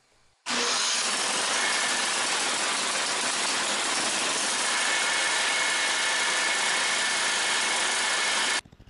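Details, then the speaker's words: Snowblower small engine that would only run with the choke on, after fitting a new replacement carburetor, idling during carb adjustment at the idle screw: steady, even idle with a hissy top end, no misfire, stalling or surging; running properly. "so right now I'm just doing some carburetor adjustment but this is the idle screw"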